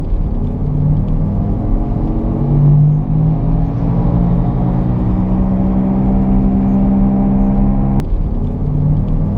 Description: The first is the growling sound while driving straight.